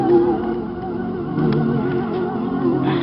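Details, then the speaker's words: 1999 RadioShack cassette player stored about 15 years in a non-air-conditioned unit: muffled, wobbly music with sagging, wavering pitch as the tape drags; owner suspects dirty heads and worn rubber drive belts. "let's see what this does yeah that sounds like crap it's a subwoofer which is abysmal"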